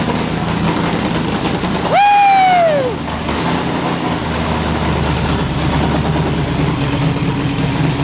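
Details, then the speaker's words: First start of Coyote V8 swapped into an older Mustang: rising starter-like whine as it fires, then loud uneven open-pipe rumble; runs rough because the tune is far off, and the pedal may have stuck. "i think she runs he does he's not gonna run good because the tune's like pretty far off"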